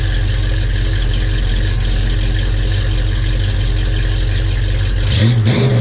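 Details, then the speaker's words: 1968 Ford Mustang 302 V8, on ramps just after a JBA tri-Y header, X-pipe and dual stainless exhaust install; deep even burble at idle, then a quick clean throttle blip, quieter with no leaks or misfires; normal idle and rev. "All right, so we're done. It sounds decent. It did what I wanted to do and quiet it down some."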